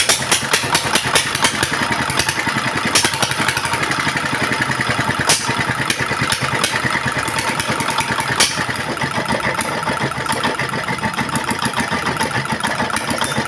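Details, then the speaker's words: Single-cylinder diesel at idle after diagnosing a throttle that rose by itself and would not drop, despite recently replaced nozzle parts: now steady, even clatter, no high-pitched whine, smoke gone; normal diesel idle. "ठीक है, डीजल मित्रों, अंत में diesel engine वापस सामान्य हो गया है , ध्वनि से ही सही, अब कोई उच्च पिच नहीं है, फिर धुआं बिल्कुल खत्म हो गया है, और ध्वनि है पहले से अधिक स्थिर"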